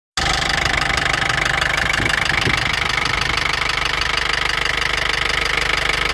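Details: Mercedes ML250 CDI, OM651 diesel at idle: sharp regular knock about three per second over a harsh clatter; engine knocking, cause not pinned down.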